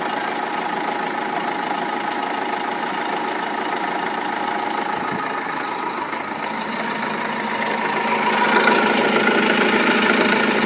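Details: Renault Laguna 2 2.2 dCi diesel at idle after timing belt and water pump replacement: even, sharp knock about three times a second, harder nailing than usual; source not identified.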